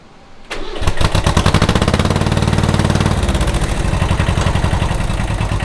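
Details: Kubota L185 tractor diesel after starter repair: starter cranks briefly, engine catches cleanly and settles into a steady even beat with no knocks or misses; normal start and run.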